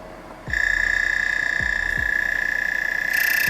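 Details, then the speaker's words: DF64V V2 vertical grinder with high-uniformity SSP burrs running at 1800 rpm: a steady high whine with irregular ticks as the burrs settle. The noise goes away once settled; it is not misalignment. "Once that's settled, I got rid of the noise. All you need to do is just turn finer and coarser."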